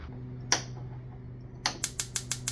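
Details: Jenn-Air CVG4380 gas cooktop, six-burner (left grill converted to burners): after replacing the failed igniter and fitting a new female disconnect on its wire, crisp evenly spaced spark ticks about six or seven per second over quiet room hum; igniter sparking properly.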